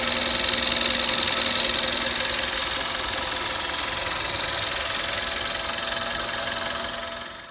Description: Audi A3 2011 8P | 1.4 tfsi strange engine noise when idle and warm